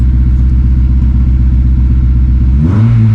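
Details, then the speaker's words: 2006 Honda S2000 AP2, 6-speed manual, cold start with clutch pressed: a lumpy idle with an irregular stumble about four times a second, then revs rise and it smooths once warm; a cold misfire, burnt valve thought unlikely. "Hit that clutch. Hear that mist, but it clears up. So should be all right. I don't think it's a burnt valve or anything, as you can tell."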